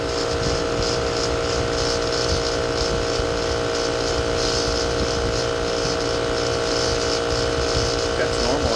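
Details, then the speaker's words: Home AC unit whose fan still blows cold air into the house makes a weird noise, first noticed yesterday: a steady hum with a faint rhythmic hiss about once a second, not very loud. The owner suspects a bearing. "Fans blowing cold, air is coming out cold in the house, but that weird noise. I'm not sure."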